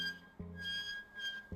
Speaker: when your brakes get down to a certain level there's a little file on the edge a little pin that rubs on your brake rotor and it creates a squeaking sound as you're braking and this is designed to tell you that there's something wrong with your car